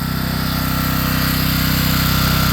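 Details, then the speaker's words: Home backup generator carrying a moderate house load, not maxed out: constant firm drone at steady RPM without hunting or bogging; normal running under moderate load. "So, I can tell by the tone of the engine with a little it has a load. It's not maxed out. There's still room."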